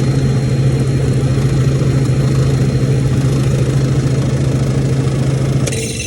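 A steady, loud low hum with a rough buzz runs throughout the unit; it sounds abnormal, but the cause can't be pinned down.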